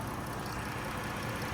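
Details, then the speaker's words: 2013 Chrysler Town and Country Touring L, 3.6 L V6, 5-speed automatic, bought from an insurance company: quiet steady idle, soft even murmur, no ticks, knocks, odd noises or vibrations; normal idle. "so all right we will go ahead and climb outside all righty so as you guys can tell this vehicle is currently running very nice and smooth running engine no issues no odd noises or vibrations"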